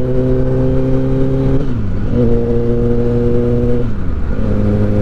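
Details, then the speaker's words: Repaired, previously crashed 2023 Kawasaki ZX10R on its first road test: clean, steady engine note, revs dipping and recovering smoothly; the slight resonance heard just below 4000 rpm is gone, and it runs normally. "là c'est mieux il y a que des bonnes nouvelles"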